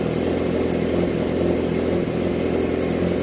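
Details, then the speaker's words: 2017 Yamaha R6 at idle after fixing the tick: smog block-off plates now seal once the butterfly valves in the head were removed; even, busy idle, steady mid-pitched drone, no tick, top end sounds healthy. "take out those stupid little plates it's all better no more tick after round three of doing it so we're good now"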